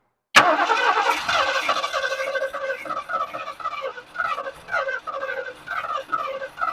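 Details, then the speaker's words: 1979 Lincoln Continental, abandoned since 1991 (32 years), fed starting fluid: slow, uneven starter churning about two pulses a second that never fires; cylinders thought bone dry and a little oily. Cranks but won't start. "You got to think them cylinders is bone dry and a little oily."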